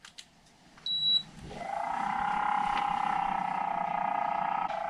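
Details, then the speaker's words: MrCool DIY mini-split indoor unit, originally whisper quiet: a beep, then the fan spins up into a loud, steady whirring drone. Worn blower motor, which was then replaced. "when we first put this in it was whisper quiet now let's just hit it and you'll hear"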